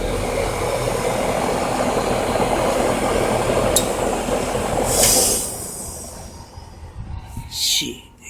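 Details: 2007 Trane XB13 3-ton heat pump outdoor unit in defrost at about 25°F: loud, steady rushing hiss for about five seconds, then it winds down and goes quiet. Normal defrost cycle.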